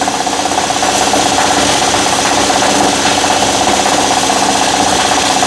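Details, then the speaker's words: 2012 Nissan Murano at fast idle, mic placed low at the front of the engine: dry rattling tick about four times a second from the wobbling AC compressor pulley, worn bearing, leaking compressor; compressor replaced. "it's just running on fast idle now that bottom pulley is wobbling in and out"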